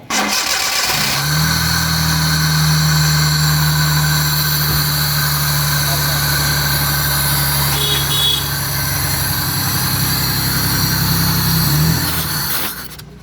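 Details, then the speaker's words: Car starting during a throttle body cleaning for low pickup and an RPM that surges up and down: a steady, slightly uneven idle for about twelve seconds, then the engine dies abruptly. "Carbon की वजह से इसी से pickup कम देती है। RPM नहीं बनता है और आरपीएम कभी तेज कभी ज़्यादा।"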